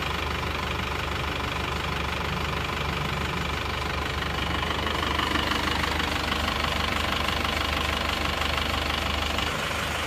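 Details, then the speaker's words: Isuzu Panther Touring diesel idling after repair. Previously it ran rough and shook with a tak-tak noise; after new rings, head gasket, valve seals, crank seals and clutch, it now has an even, steady clatter with no tapping. "Ini adalah suara mesinnya setelah mesin diperbaiki. Jadi getarannya sudah tidak seperti yang kemarin. Sudah tidak suara tak-tak ya."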